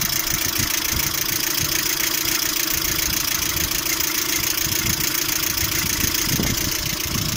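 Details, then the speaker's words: Lada Priora idling, knocking both cold and hot: busy, clattery idle with fast, loosely regular tapping about three per second, seemingly from the timing-belt side; hydraulic lifters doubted, water pump suspected; engine also overheats while driving. Source unconfirmed. "Звук со стороны вот ремня ГРМ, по-моему, выходит. Ну, на гидрике похоже, не похоже так. На гидрике не похоже."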